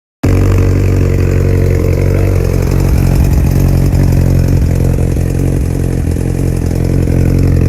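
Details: 2002 Yamaha R1 sport bike idling steadily with a light, regular ticking over the low engine rumble, traced to the EXUP exhaust valve.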